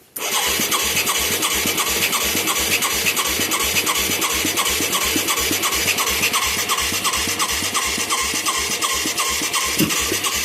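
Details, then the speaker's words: Mid-1980s Yamaha YFM200 Moto 4 ATV with a new carburetor and plug; rhythmic cranking strokes, about three a second, with sharp pops backfiring through the carburetor instead of starting; owner suspects valve problems or air-fuel mixture, unconfirmed. "The way it's popping, though, it's popping through the carburetor."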